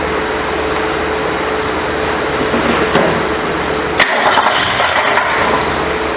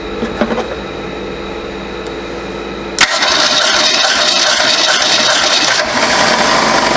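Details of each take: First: 1967 Ford Mustang coupe that sat 22 to 23 years, fuel primed and new throttle spring fitted: steady starter churning about four beats a second with a brief catch near the end, but never fires; cranks but does not start. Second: 1967 Ford Mustang coupe, sat 22–23 years, cranking during a compression test; even, steady cranking around four beats a second with no skips. Good cranking compression.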